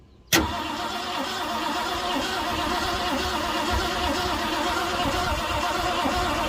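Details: 1967 Ford Galaxie sitting 35 years, new fuel filter, gravity-fed fuel from bottle into carb bowl while cranking: steady fast starter churn on and on, never catching; crank-no-start, plugs to be pulled to check spark.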